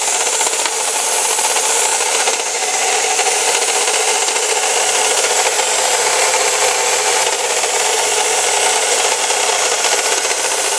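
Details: Chevy Cavalier 2.4L at idle: constant dry, gritty rasping hiss with no knock or rhythm, noise started days earlier. Owner first suspected water pump; later found to be a bad alternator bearing.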